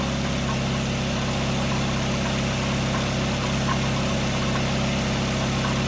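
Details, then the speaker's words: 1999 Nissan Sentra 1.6 after EGR delete and new headers installed: smooth, steady idle with a deep even hum, no ticking, rattle or exhaust blow; much quieter than before. Slight oil smoke noted near the exhaust. Normal idle. "Man, this sounds much better. Much better. Much better. I was getting tired of how loud this thing was sounding. Now it sounds better."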